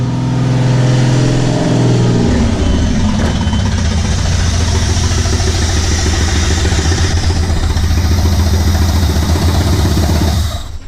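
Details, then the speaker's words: Jeep XJ started for the first time after sitting two years, with a leaking thermostat gasket and good oil pressure: it flares to about 2,000–3,000 rpm, holds briefly, then runs rough and lumpy and dies; cause unknown. "oil-pressure look good but it's it's dying out for some reason"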